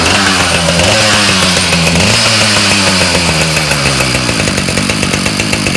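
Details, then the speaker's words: Ryobi 705r 31cc two-stroke line trimmer revving with a loose marble-like rattle; trimmer head won't spin with throttle after brush-cutter use broke it, cause not yet found, housing to be opened. "okay listen closely hopefully we're able to hear that kind of rattle kind of like marbles"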